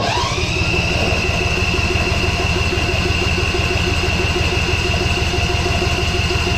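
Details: John Deere Z445 mower after a carburettor cleaning (it previously took about 300 cranks to start): it catches and settles at once into a steady, even putter with a faint high whine and no misses.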